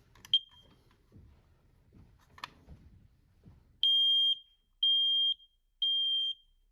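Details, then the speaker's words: Newly installed smoke and CO detector being tested after battery insertion: some handling clicks and a short chirp, then three loud high beeps, one per second, a normal test alarm. "Test that the detector works before finishing up."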